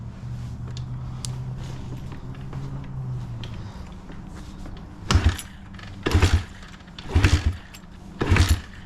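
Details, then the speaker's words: Blown single-cylinder engine after 12 minutes wide open, with melted dipstick and blued pump: four hard pull-start bursts cranking against regained compression but never firing, sounding different than before; owner says it's definitely blown, cylinder scored. "it's definitely blowed it is definitely blown um it just it don't even sound the same now"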